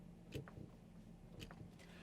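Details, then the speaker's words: Chevy Tahoe SUV at low speed turning into a driveway: two dull clunks over low cabin rumble, heard on low-speed bumps, turns and braking, gone above 30 mph; worn upper steering shaft. "there's this clunk um that happens at low speeds going in driveways low speed bumps taking turns at low speeds on the highway i would say anything over 30 miles per hour honestly you don't really hear anything"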